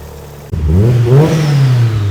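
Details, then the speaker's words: Mitsubishi Evo after a new downpipe was built so the downpipe and wastegate flanges both seal: a clean rev rising and falling with a deep, even exhaust note. No blows; the exhaust is sealing properly. "The proof is in the pudding. There's no blows on that exhaust, that sounds an absolute dream. Happy days."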